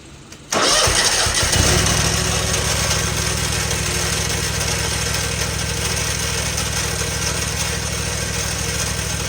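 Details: Lawn equipment engine catches after a brief crank, then runs with a fast, somewhat uneven beat around four per second; owner asks about an odd engine noise whose cause is unknown.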